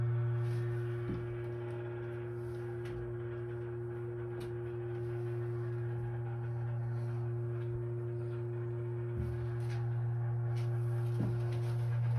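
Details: Steady low hum with fainter tone above near two water heaters, vibration stronger on left unit; no leaks, expansion tanks about 70+ PSI, not always when faucets are used; source of pipework vibration unconfirmed.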